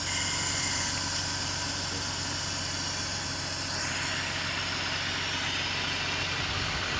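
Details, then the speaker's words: BMW E46 petrol idling steady and even, no whine or grinding, after replacing alternator bearings; engine runs calmer. "ini sudah selesai penggantian bearing ya baring alternator dan jugaparator kemarin kemarin kalau dimatikan itu bunyi dengung ya ini mesin juga agak lebih anteng daripada yang kemarin"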